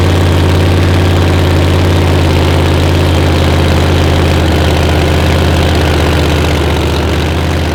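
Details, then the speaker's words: Screw-blown Hemi with dry sump, idling while timing and mixture are adjusted and cylinders seven and eight are spitting: loud, deep, lumpy idle that skips beats. Misfire on two cylinders, which come alive once leaned out. "hear them other two come alive oh yeah it sounded good you could tell it soon as the crank when it went in the header"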